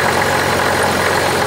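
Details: 1985 Oldsmobile 98 diesel, started after brief glow plug time, with a larger replacement tensioner pulley: even, steady idle with no knocks, rattles or surging; belt drive now quiet and settled instead of jumping around.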